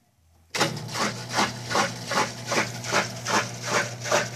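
Steady rhythmic whoosh at about two and a half pulses a second with no grinding or scraping; the pump is running fine.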